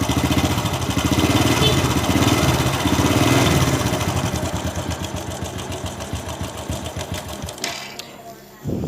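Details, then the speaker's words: Honda Supra Fit New motorcycle running: harsh, fast clatter on the left side of the engine about four beats a second; suspected loose cam chain, to be replaced. "Ini diperkirakan disebabkan oleh rantai kam yang longgar. Mari kita dengarkan saja suaranya. Bunyinya berisik sekali, teman-teman. Berderak keras."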